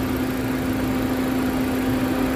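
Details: Steady petrol engine idle with a constant low hum, after an underhood whistling and sucking noise was traced to a leaking oil separator (PCV) diaphragm and fixed with a rubber patch cut from an inner tube: normal idle.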